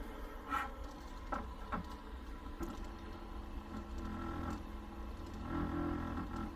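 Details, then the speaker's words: New LitezAll rechargeable lithium-ion mini fan on speed one, sitting on a table: a quiet steady hum with a buzzy rattle and ticks, a lot of noise from it shaking against the table; fan vibration noise. "okay yeah it does make a lot of noise"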